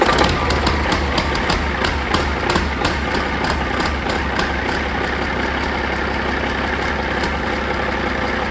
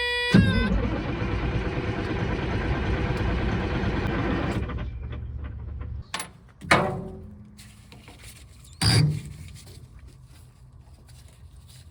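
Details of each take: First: Caterpillar 3406E haul-truck diesel, rebuilt and re-engineered for a different application, first test run on the shop-floor stand after fuel priming with zero active codes: heavy chugging at a steady idle, even low rumble, no knock or miss; running fine. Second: Caterpillar 3406E diesel in a D350E Series 2 haul truck, 18,676 hours, coolant and oil OK, fuel primed: starter cranks steadily about three beats a second for several seconds, never catches, then stops; no-start traced to the engine ECM not communicating.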